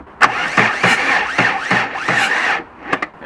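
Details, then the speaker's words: Crashed Audi 80 first start attempt, dead battery: starter drags the engine over slowly, about six uneven turns in two and a half seconds, no clicking, then quits; slow cranking from weak battery. "but the battery is dead. Battery dead. But it turns. It turns. It doesn't click. It doesn't do bad sounds."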